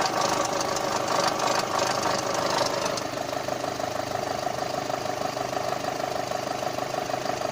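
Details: VW Golf 5 GTI TFSI petrol engine at idle: fast, fairly regular ticking clatter, about three per second, over the hum; strange idle noise, source unknown.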